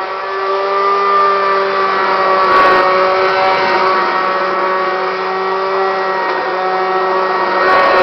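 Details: Kirby Classic 1-CR vacuum used only three times, bearings failed, getting louder and shakier: loud steady motor roar with a strong even whine and rough, gravelly edge; worn motor bearings.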